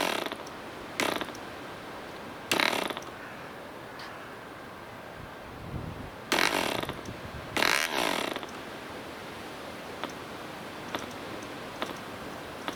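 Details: DC Spitfire 1cc model diesel engine, cleaned up, on 8x4 prop with Model Technics D2000 fuel: short bursts of harsh buzzing about a second each, catching then dying between flicks; hard starting, compression possibly set too high.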